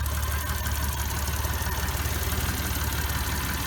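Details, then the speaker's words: 1991 Geo Metro three-cylinder five-speed after engine swap, first start with fresh fuel, oil, coolant, O2 sensor unplugged and check engine light on: deep even throb, no knocks, idling smoothly. "like a kitten especially for having uh no connection to the O2 sensor"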